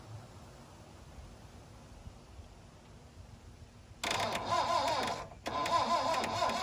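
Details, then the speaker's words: 1972 Plymouth Cricket (Hillman Avenger), off the road since 1989, on choke with starter switch: quiet, then churns and starts in a rough burst, drops out briefly, picks up again; needs spark plugs, carburetor obviously plugged. "There are a lot of things we need to do here. We need to put some decent spark plugs in it. I need to go through that carburetor because it's obviously plugged up."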